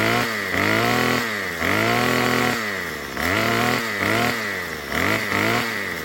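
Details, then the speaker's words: Murray M2500 string trimmer, long unused, after fitting a new carburetor kit and turning the high-speed screw counterclockwise with the kit tool: about six clean blips climb quickly to a high scream and return to idle without bogging. Normal throttle response. "You just get this tool, go on the high, and turn it. I saw it on a video, so it doesn't bog that much anymore."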